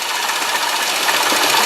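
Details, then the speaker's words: 2001 Hyundai Santa Fe GLS 2WD at idle: fast light metallic rattle, steady and thin like a sewing machine, believed to be inside the timing chain cover, possibly a pulley; revs otherwise clean with no lifter, valve train or high-rev knocks. "hear that rattling that's what I'm talking about that is um whatever that issue is inside the timing uh chain cover"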